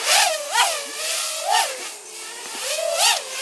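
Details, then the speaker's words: iFlight Turbobee 136RS quad with 7.2% motor idle-up: high motor whine wavering up and down in pitch at low throttle, jittering when punched from zero; motors stutter and oscillate, cause unresolved. "like if you could just hear that it was just a little little weird kind of oscillation stuttering"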